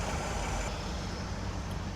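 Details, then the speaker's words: Idle of a 1976 Cadillac Eldorado Biarritz at first start of the year after an oil change: low, even rumble with no ticking, knocking or rattles, quiet and healthy with no oil light. "She sounds nice and quiet to me."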